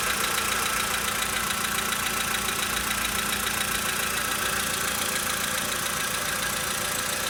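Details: 2013 VW Polo Sedan Sochi Edition, 65,000 km, cold start idle: sharp even ticking knock about three or four a second over the engine; engine knock when cold, cause not clear.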